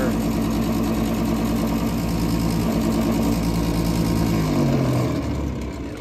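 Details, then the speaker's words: Daikin gas package unit not heating, with a tripped flame rollout switch and only one burner lighting. The draft inducer motor runs with a loud, rough, uneven hum that sags as it winds down; it is worn, failing and needs replacing. "At bare minimum, we're going to need a new draft juicer. That thing is noisy and on its way out for sure."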